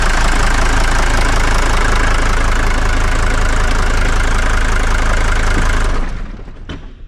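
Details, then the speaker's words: 1981 Mercedes 300GD diesel with glow plugs, revived after 6 years parked, idles loud and even for six seconds with no misses or odd knocks, then shuts off. Judged perfect: normal idle. "¿Va bien o no va bien? Es que suena a glorias, mira. Pero perfecto."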